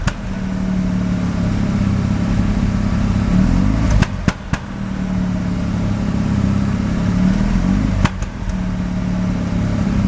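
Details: Mazda RX-7 rotary, extremely high CO (2.70), failed annual inspection: uneven lumpy idle with irregular dropouts and stumbles in low exhaust note, misfiring on slight throttle; no oil pressure, no leaks; cause unknown.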